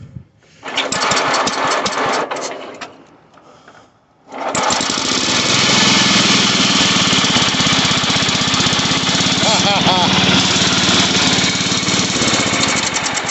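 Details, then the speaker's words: Sears Suburban 12 hp Craftsman tractor on full choke: the engine cuts out, then restarts into a fast, buzzy, slightly hunting rattle. It is running lean, so the fuel screw on the bottom of the carburetor is turned counterclockwise. "It's just running a little lean. So we're going to go counterclockwise on the one on the bottom of the carburetor."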